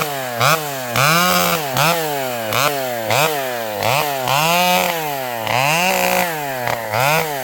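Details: Vintage two-stroke chainsaw with a governed carb bucking a storm-leaning tree: a crisp scream drops and recovers with each cut without bogging. The old saw is running beautifully.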